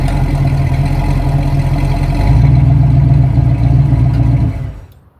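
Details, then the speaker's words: 1971 Ford Torino after a slight carburetor tweak (it was a little lean): starts right up, fires and settles, revs cleanly without stumbling, idles smoothly, then shuts off. Runs healthy. "It starts right up. As soon as you turn it off, it bumps the key. It fires right off. It revs clean. It idles clean."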